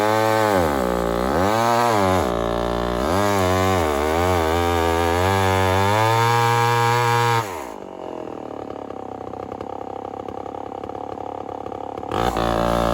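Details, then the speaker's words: Homelite 1050 100cc chainsaw on 404 chain, first test cutting wood: pitch surges and sags unevenly, then drops to a rough, lumpy low speed, struggling under load; owner suspects an air leak. "i'm pretty suspicious of an air leak so we'll find out yeah let's get on with this and see what 100 cc home lights can do in some wood"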